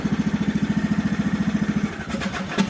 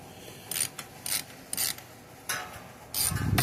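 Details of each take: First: 1998 riding lawn mower, Briggs & Stratton Vanguard vertical-shaft twin, over 25 years old, after starter replacement; battery possibly weak. Steady cranking at about eleven even pulses per second, then catches and runs; new starter turns it over cleanly. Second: Old factory starter removed from a Briggs and Stratton Vanguard vertical-shaft riding mower engine, turned by hand: bursts of ratchety creaking and clicking, dragging inside; owner suspects heat-damaged, fallen or broken magnets, not confirmed.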